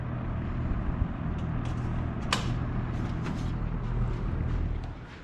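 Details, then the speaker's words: Cleaned-up blue Kmart box fan from August 1983, running: soft steady low hum, no rattle or grind, a few light handling clicks; fan runs nice and quiet. "this fan is really nice and quiet too"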